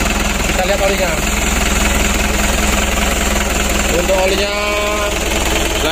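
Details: Ragasa 120 PS diesel, after repair for overheating and coolant spraying into the combustion chamber (suspected head gasket or head), refilled oil and coolant, bled: steady even idle clatter, no misses, knocks or hunting.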